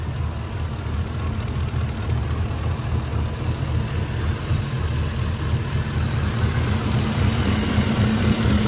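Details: 2006 Ford F-150 5.4L 3V Triton with a remanufactured engine, almost 300,000 miles, codes P2195/P2197 stuck lean. The hot idle rumbles unevenly with a lumpy, laboring beat and a faint hiss: a large vacuum leak leaning it out beyond what the PCM can correct.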